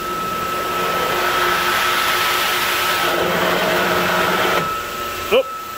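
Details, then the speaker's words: Water-source heat pump closed-loop pump feeding a sediment-plugged heat exchanger (30 psi in, 4 psi out) with its outlet butterfly valve throttled almost closed: a loud gravelly hiss over the pump hum, then easing off, as the pump cavitates. "so for this pump not to cavitate you know from the outlet of the heat exchanger i got this butterfly valve closed all the way to like 80 or just you can hear it"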